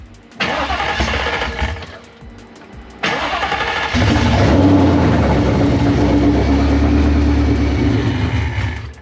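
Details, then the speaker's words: Fox body Mustang with a newly fitted supercharger, first start before tuning: starter cranks, engine fires and settles into a strong, even run; still needs a tune and pops off, but otherwise normal running with no abnormal noises. "baby more now sounds healthy as yeah I think that's about all yeah definitely needs a tune it pops off yeah engine sounds great no crazy noises"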